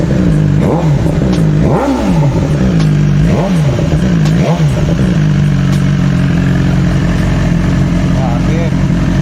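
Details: 2019 BMW S1000XR inline-four at 16k odometer: sharp, light ticking while blipped and settling to idle, valve train suspected; described as a common issue, thicker 20W50 or 15W50 oil suggested, unknown whether oil or a faulty part is the cause.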